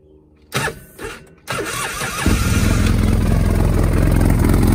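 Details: Polaris RZR after head gasket replacement: short crank, catches after a stumble, then settles into a steady, even low idle; running healthy again.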